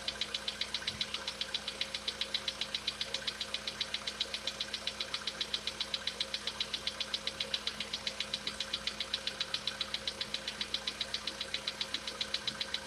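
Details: Sharp, even metallic ticking about 2.5 per second over a quiet idle on a VW Polo Sedan with CFNA engine; cause suspected, not confirmed, and the owner tests whether decarbonization cures it.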